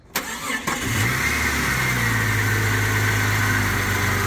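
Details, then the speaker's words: Jeep XJ (Cherokee) after replacing cracked oil pan and gasket, rear main seal, oil pump upgrade, new pickup and connecting rod bearings: brief crank, catches at once, smooth even hot idle, no knock or tick, good oil pressure; normal start and idle. "wow there we go guys beautiful oil pressure hot idle right dead center perfect this baby is purring like a kitten"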